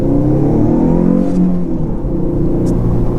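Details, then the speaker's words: 2006 Subaru Impreza wagon, NA engine turbocharged, about 100,000 miles, after fixing a boost leak: strong pull with a clean, meaner turbo rush and no hissing; boost comes faster with less lag, idle nearer 14.7 AFR; normal spool. "Wow. It sounds way different now. It sounds more mean. I think it's just hitting boost a lot faster now. It doesn't have as much turbo lag because half the air isn't leaking out."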